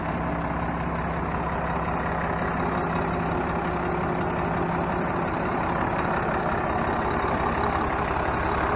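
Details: 1996 Dodge Ram 3500 with a 5.9 Cummins 12-valve and P7100 pump, after 7mm delivery valves were installed and the injector lines bled: a steady diesel clatter holding an even idle with no misses or stumbles, running normally on all cylinders.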